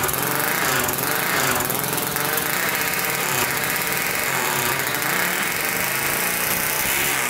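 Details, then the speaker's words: 1999 Honda 400EX turbocharged quad, after the carburetor drain was plumbed to boost: loud, busy single-cylinder buzz held at high revs without stumbling or popping; now revving out and running a lot better. "all right that runs a lot better so that's uh actually revving out now"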